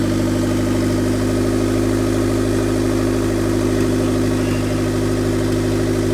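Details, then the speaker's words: 2000 Honda Civic EX coupe, D16Y8 VTEC 5-speed, first start with oil after fitting a turbo, manifold, wastegate and oil lines: steady, even idle with a smooth low drone and no misses or knocks; running fine. "All right, so here's the first start of the car. We got some oil in it, and now we're gonna fire it up and make sure everything runs, make sure the turbo's spinning, all that good stuff, and see how it does."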